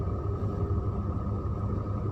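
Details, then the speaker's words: Shacman F3000 dump truck diesel engine idling after start-up with the transmission checked in neutral: steady low rumble with an even pulse and faint hum; engine vibration and sound normal. "normal getaran mesinnya normal bunyinya"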